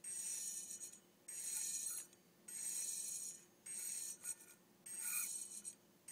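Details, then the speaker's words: Hitachi Deskstar 7K250 hard drive with a head crash: the air cushion under one head is gone, so it drags on the platter, scratching it, giving repeated high-pitched scraping squeals about once a second while spinning. "But when this air cushion is gone for one of the heads, then that head will drag over the surface and create scratches and make screeky noises."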